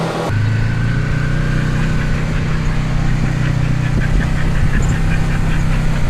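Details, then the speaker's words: 2012 Polaris RZR 900 XP4 that had driven only in reverse, running after a transmission rebuild and reinstall: engine fires and holds a steady drone with no grinding, clunks or popping from the driveline; everything sounds healthy. "And it took me, I think, 4.5 hours to put it back in and button everything back up. So it should be done. Sounds good."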